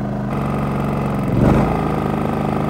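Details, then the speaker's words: RV generator restarted with the camper's 30 amp plugged through an ActiveStart soft starter: a steady drone that idles down, swells briefly as load comes on, then holds speed. Normal running under load. "we'll start the generator back up we'll hear the generator idle down so now our camper is running on our generator"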